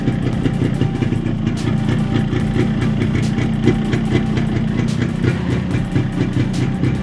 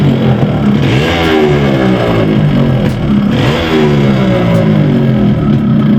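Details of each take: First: Yamaha RX135 two-stroke after the engine was reassembled with a 50-size piston to cure a piston noise: a steady, even putter with the noise now much less than before; normal running. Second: Yamaha RX135 two-stroke running a size-50 piston, before teardown of the block. Revving up and down with a hollow metallic clatter riding on the exhaust note: piston slap.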